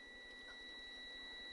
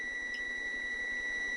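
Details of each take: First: 1972 Honda Z50 Mini Trail with spin-but-no-spark, multimeter clipped across the ignition points: a steady high beep holds unbroken even with the points opened, so the meter still reads continuity; points are working. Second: 1972 Honda Z50, no-spark diagnosis: continuity tester clipped to the black points wire and ground gives a steady, unbroken high tone, good continuity even with points open.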